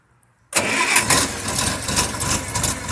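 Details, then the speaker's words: 1974 Farmall Cub with a lack of power under load that only performs on 75–90% choke; started on full choke it catches suddenly and runs loud, uneven and rough because it is over-choked. "Starts up and runs like crap on full choke because it's being choked, right?"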